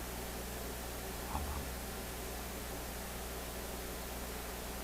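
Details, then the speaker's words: Philco 51-530 AM tube radio at power-up after installing a good 35Z5 rectifier tube, B+ confirmed on voltmeter, volume down: low steady quiet hum with faint hiss; hum source unconfirmed. "This time there's no doubt there's B plus in this radio. I hear a hum. I hear a quiet hum."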